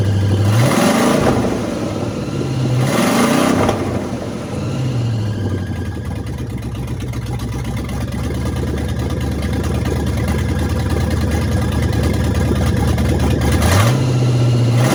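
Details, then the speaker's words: Small-block Chevy V8 with 5-speed swapped into a TBI Chevy truck, first start, no exhaust fitted, open manifolds with oil on them: loud raw bark on each rev blip over a lumpy idle; engine running without exhaust. "I still need to do exhaust on it but I figured I would uh let you guys hear it it has no exhaust so it's just open pipes"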